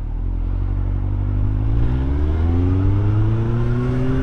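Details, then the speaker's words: Inline-four Yamaha FZ1 with Yoshimura RS3 exhaust and Ivan's jet kit, carbs just synced, idling slightly higher: smooth even note revving up, no knocks or misses, sounds healthy. "let's see you got the carbs synced so it idles a little bit higher than it did before but that's okay man yeah that sounds nice"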